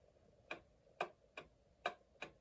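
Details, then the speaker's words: 110-year-old Ansonia Blackbird clock movement, freshly oiled at pivots and remounted in case: five ticks in under three seconds with alternating long and short gaps, a limping tick-tock instead of even; clock is way out of beat. "Okay, so it's way out of beat. Dun dun dun dun dun dun dun dun. That's way off. It should be very easy. It should go tick tock, tick tock, tick tock."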